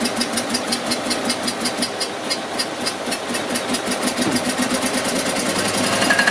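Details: Invacar engine first start after 14 years abandoned in a field, other engines running nearby: ragged, uneven chuffing about three beats a second with irregular gaps, one cylinder firing; owner suspects fuel not getting through, running only on poured-in fuel.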